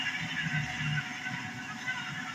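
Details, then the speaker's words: Woodmizer BMS250 CBN sharpener cam motor test run after replacing the sheared cam motor shaft shear pin: small motor runs with a steady, even hum and no knocking or grinding, cam drive healthy, normal running after repair. "that works just fine"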